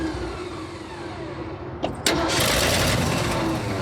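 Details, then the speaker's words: Abandoned 1979 Ford F-350 that sat for years, with fuel and ignition problems: starter churns two seconds, engine catches but runs only while the key is held in start; no run-circuit power, so it dies when the key is released. "Dude! I have to keep it, the ignition turned to make it work."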